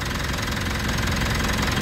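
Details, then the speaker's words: 2019 Mitsubishi Montero Sport GLS diesel idling after fuel filter element replacement: steady idle with the usual even clatter, no hunting, stumbling or missed beats; running normally. "fuel filter element at maganda yung kanyang andar."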